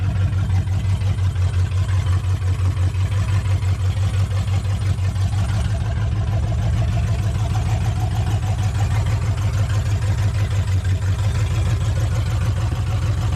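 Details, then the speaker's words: V8 pickup truck with freshly built engine at rough idle: loose repeating knock, faint rotating-assembly thud and an unidentified squeak; owner suspects tight bearings or lifters too tight, cause unknown. "I don't know what that squeaking is and there's like a faint thud sound that sounds like it's an uh rotating assembly gets me on the motor sound"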